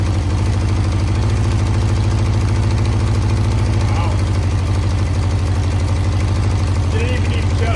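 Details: 1982 Honda CB650 four-cylinder after VB44 carburettor rebuild with velocity stacks, first start without tank fitted: fast, steady low pulsing idle; engine runs but may still need tuning.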